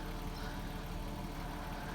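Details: Porsche 986 Boxster whose no-start (stalled on throttle; MAP sensor replaced without effect) was solved: low, smooth, even idle with no misses, knocks or hunting.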